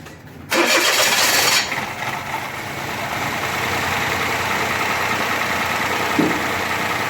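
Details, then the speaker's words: Toyota Vitz 2007 CVT with starting trouble and misfire, after repair: engine cranks and catches quickly, settles into steady even idle with no misfiring or stumbles; normal start and idle. "है माशाल्लाह का मुकम्मल हो गया गाड़ी start और India में firing भी नहीं कर रहा"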